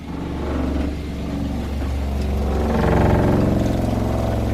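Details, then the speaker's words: 2020 Rockwood Geo Pro 19FD RV water pump switched on, heard from inside while winterizing, hopefully drawing pink antifreeze from a bucket: steady low motor drone with fast even pulsing about four beats per second; running normally. "okay we're going to come inside now and we're going to hit the pump you can hear it running in here"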